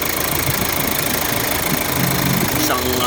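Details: 2013 Hyundai Santa Fe CRDi diesel, hard-start fault, after replacing the leaking O-ring on the fuel return line: steady diesel clatter at idle with an even, smooth beat and no stumbling; leak gone, running normally.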